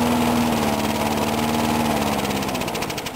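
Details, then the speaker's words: Briggs & Stratton mower engine, cold start in 35°F weather after long sitting, water in the gas, carburetor primer only priming half; fast uneven beat then stumbles and fades; stalling from fuel starvation, owner suspects water in tank or primer. "Oh, must be because there's water in the tank, or because the primers. Yep, the primer won't suck up anything."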